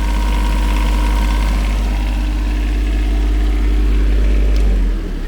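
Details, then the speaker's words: 2012 Shindaiwa (described as looking very tired) fired up in the shop: heavy, steady low drone at constant speed with no knocking or hunting, dropping off near the end; still runs like new, normal healthy idle. "Looking very tired. Like I say, 2012 model. Fire it up. Still runs like a new"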